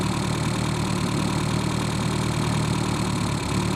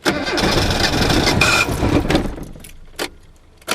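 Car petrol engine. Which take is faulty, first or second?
second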